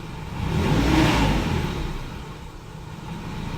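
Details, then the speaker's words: Nissan S14 240SX after a fuel filter install to fix throttle hesitation, warmed a minute or two: the revs blip, then the idle sags low and unevenly as if about to stall before recovering. The problem persists. "of sound like it wants to like die every time it comes back down from being revved you'll hear that now it always would let me rev like that but it's one I give it like a yep okay so it's still doing it"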